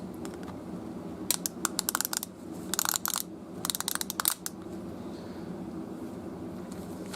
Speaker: This one is a mechanical device, obviously, as you hear the clicking and the gears turning inside.